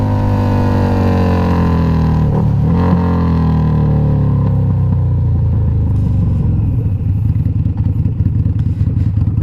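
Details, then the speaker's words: Harley-Davidson V-Rod Night Rod V-twin bored from 1130cc to 1250cc with FM Hellraiser cams, oil warm, on a test ride: deep, punchy pull through the gears with an even firing beat and no knocks; normal acceleration. "so yeah you can see uh it's nice and fun now it sounds badass when you get on it i love it"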